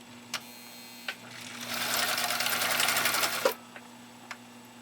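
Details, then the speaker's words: Husqvarna Viking 19E sewing machine after bobbin winding: soft clicks as clutch re-engages, then smooth, even rapid whirr of stitching for about two seconds; normal sewing. "soft you can barely hear it but that was that clutch re-engaging again so that you're able to resume sewing no difficulty no problem whatsoever"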